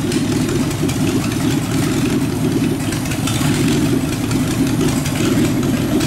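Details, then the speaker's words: Rat rod engine at idle driving a York AC compressor converted to pump air, pressure switch set to cut out near 100 psi. Even, deep idle with a steady churn and no knocks or misses. Normal idle under compressor load. "so I'm crank it up and just let it idle to show you how fast this builds up pressure idle"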